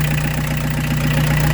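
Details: Peugeot 205 TD diesel with newly fitted Motorpal 4M injection pump: steady, even idle clatter, unchanging, no misfire or stray knocking; normal healthy idle.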